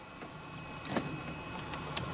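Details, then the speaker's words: Hyundai Sonata that died while driving with the oil light on; cranking attempt gives only faint irregular clicks under the hood, no cranking or firing. Weak battery suspected, starter doubted; cause unknown. "there's like a clicking noise but maybe the battery is weak let me put a battery charger on the battery"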